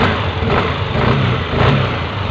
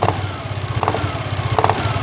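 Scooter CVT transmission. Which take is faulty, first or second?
second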